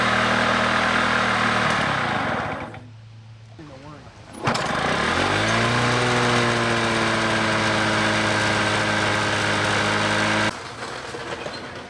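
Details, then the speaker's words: Lawn mower repeatedly starting and stopping while mowing: runs, dies, restarts with rising revs, settles, cuts out again; stalling from dirty carburetor, fixed by carburetor cleaning. "today we started mowing the lawn and this thing is just starting and stopping starting stopping so let's take a look at the carburetor and see if we can fix it"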